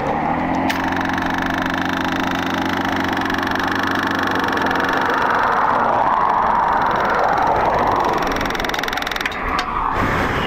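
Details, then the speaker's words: Carbureted Honda Magna motorcycle while riding: steady engine drone over wind that wavers and fades, losing power as if fuel-starved; rider suspects the fuel pump overheated or is dying, unconfirmed. "that pump might be dead actually now it's stopped maybe my pump overheated not really sure"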